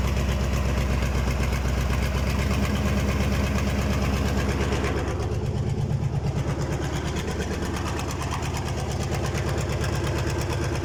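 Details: KAMAZ diesel engine's first start after a major overhaul: even idle with a steady low clatter and no extra knocks or misses; the engine runs healthy.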